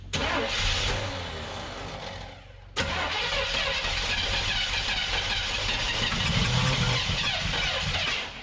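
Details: 1975 Chevrolet C20 Scottsdale 3/4-ton squarebody, first start in nine years: engine cranks, catches briefly, dies, then fires again and runs unevenly for a few seconds. It is starving for fuel and only runs on prime, with the accelerator pump unconnected.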